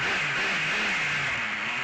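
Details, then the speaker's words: Rebuilt nitro ACME Condor rally car, small two-stroke glow engine, in shed at about 19°C and 55% humidity: high buzzy drone holding a steady note with slight wavering; runs cleanly, engine doesn't cut when braking, tuned for now. "and it looks it looks pretty good so the brakes work the engine doesn't cut it's tuned for now"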